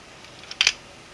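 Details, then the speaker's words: 3D-printed single-print 1/2" quick-release reversible ratchet switched to the other side: two short bursts of crisp, light plastic clicks turning counterclockwise, maybe stiff at first; it won't turn clockwise, normal ratcheting. "Now we're going to turn counterclockwise. You can hear it turning, clicking. Maybe a little difficult at first, but it can't turn clockwise."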